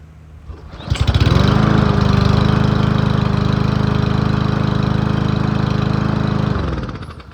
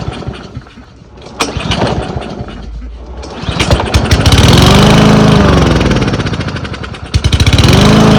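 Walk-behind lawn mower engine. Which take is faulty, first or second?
second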